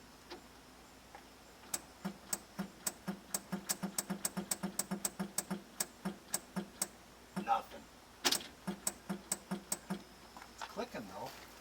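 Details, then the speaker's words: Circa 1970–72 Dodge Power Wagon 4x4 V8 plow truck, four-speed, parked 40 years: rapid dry clicks, three to four a second, with no cranking; starter, coil or lock suspected, not confirmed. "I think you need a starter not yet oh points no coil check the coil needs needs juice to be able to crank it"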